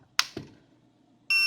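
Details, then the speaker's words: Youkiloon T12-D soldering station that was totally dead from a failed PSU (factory-scratched IC), now fitted with a replacement upgraded-voltage PSU and with its tip installed: a couple of plug-in clicks, then one clean quarter-second high beep as it powers up normally. "Nah, dia bunyi. Tit. Nah, dia mau."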